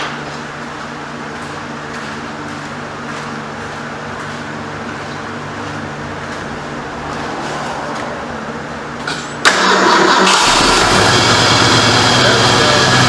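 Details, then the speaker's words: 1973 Ford Mach 1 Mustang, 351 Cleveland V8, freshly reinstalled after exhaust manifold work: engine turns and runs briefly with an uneven pulse, then dies; owner suspects it only ran on carburetor fuel, finding tank nearly out of gas. "Alright. And she died. Probably all the gas that's in the carburetor."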